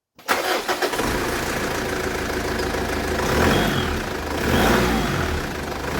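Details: After drive belt adjustment, tightened leaving slight play: catches within a second and settles into a steady, even idle with no squeal or chirp; normal start, belt noise gone.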